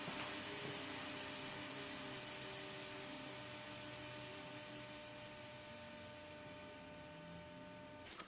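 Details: Air suspension with one corner aired up then dropping, leak location still unknown: steady sharp hiss fading over eight seconds as the corner settles; air suspension air leak.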